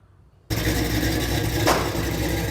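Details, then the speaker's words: LS-swapped fuel-injected Oldsmobile Cutlass, EFI still needing fine tuning: engine comes in abruptly and holds steady even idle, smooth low rumble, no misfire or tapping; runs really good. "Still needs a little fine tuning just on the EFI system, but the car runs really good like it is."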